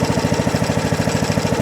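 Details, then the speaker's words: John Deere D110 riding mower, just started with choke after sitting, possibly on old gas: steady even putt-putt idle with no misses or stumbles; idle is fine. "Idle's fine. Sounds good."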